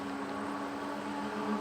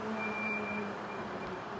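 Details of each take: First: E-bike with 20-inch wheels climbing a hill at 21–22 mph on pedal assist level five, full throttle, gear six: steady mid-pitched hub-motor whine rising slightly under load; normal. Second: E-bike going downhill: a thin, steady squeal near 200 Hz over wind and road noise. The rider is pulling and releasing the brakes to bed them in and stop the squeal.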